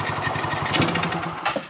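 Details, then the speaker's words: Polaris RZR 170 (169cc four-stroke) with its original freshly cleaned carburetor after idle and pilot air screw adjustment, throttle stomped in neutral: single-cylinder thumping that stumbles and sags instead of picking up; bog on sudden throttle, owner suspects still lean. "it bogs out and that leads me to believe there is still an issue with it being lean but nothing i seem to do really fixes it"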